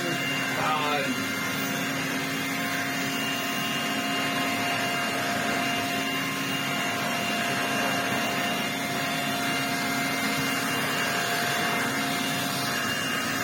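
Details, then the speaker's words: Restored Electrolux Z504 vacuum with motor mostly sorted, running on a stiff rug; steady motor hum with constant high whine and brush swish, no knocks or rattles; runs and sounds good. "I think it just doesn't like these really stiff rugs it needs something with a pile and it will be perfectly happy but it runs it sounds good"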